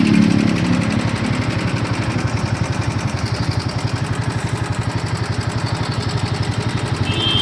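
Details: Royal Enfield Himalayan 450 at 12,000 km, idling: steady single-cylinder thumping with an irritating mechanical clatter over it. Abnormal engine noise, source unclear.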